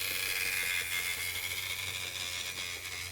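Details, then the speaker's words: Graham Farish Class 50 N-gauge locomotive (Poole-type chassis) running at speed on track: a rhythmic click-clack knock once per wheel rotation from worn axle gears on two axles, before gear replacement. "that's that clap clap clap clap clap clap that's going around every rotation of the wheel so now um there's either something on the wheel or it's possibly a gear on the wheel"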